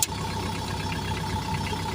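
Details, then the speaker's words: XCMG XE135B excavator diesel after adjusting fan belt and aircon belt, which had made a tearing noise: steady idle with faint even whine, no tearing or flapping; normal belt operation. "Okay na yan. Subukan kong banda rin. Kung may ingay pa. Okay na. Wala nang ingay."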